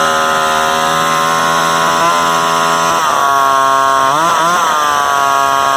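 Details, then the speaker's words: Vintage Craftsman chainsaw 358.355160 after fuel line repair: loud two-stroke holding very high revs with dips and surges as it hunts; idle far too fast, owner suspects an air leak and plans carburettor adjustment. "it sounds like it's got a air leak somewhere because it's got a really high rpm sometimes that's an indicator of uh apparently"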